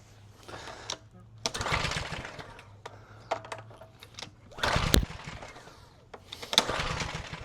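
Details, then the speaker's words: Craftsman 2800 PSI pressure washer, Briggs & Stratton 163cc, stored with discolored fuel: four recoil pulls, each rattling whir with no fire; cranks but won't start, cause suspected. "I don't Doesn't sound like we're getting anything."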